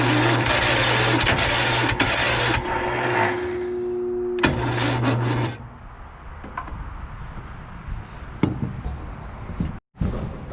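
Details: John Deere 318 lawn tractor that stalled and would not crank, starter powered directly to verify it: steady whirring crank with a constant low drone for a few seconds; starter is good, fault was a safety switch preventing cranking.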